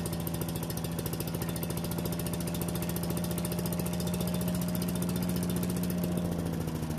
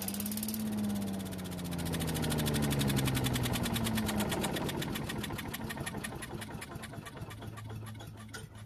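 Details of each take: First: Yardman leaf vacuum/mulcher small single-cylinder engine after cleaning the carburetor and reassembling: steady fast even beat, no hunting or stalling; running properly, warming up for an oil change. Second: Yardman walk-behind leaf vacuum/mulcher that won't start after storage: fires and runs a few seconds on starting fluid, then slows and dies into clicks, pointing to the carburetor or stale gasoline; carburetor suspected as the problem.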